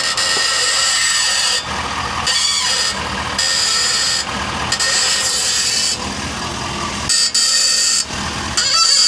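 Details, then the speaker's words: 2023 Ford F-450 Super Duty at 50,000 mi screeches whenever the steering wheel is turned. With the mic at the front end as the truck is lowered onto its wheels, harsh squealing grind bursts come under load: ball joints on this side worn out. "So I think this pretty much confirms that the ball joints on this side are just trashed. They are noisy with the load."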